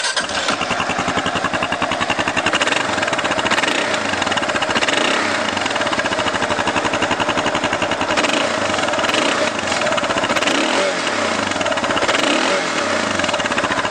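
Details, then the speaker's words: 2009 Kawasaki KLR650 single-cylinder, 17,341 miles, stock muffler with baffle removed and custom tip (louder than stock): loud, crisp steady idle thump, even beat, no knock, miss or smoke; normal idle. "no smoking or anything like that the bike idles good the motor sounds good"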